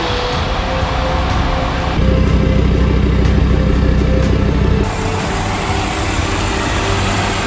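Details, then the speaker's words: Jeep Grand Cherokee WJ 2.7 CRD OM612 diesel, first start after full engine rebuild: even, steady diesel beat with firm low hum, no knocking or stumbling; runs smoothly, slight black smoke, small coolant leak. "it runs it sounds good as well going to give it a little bit of a time"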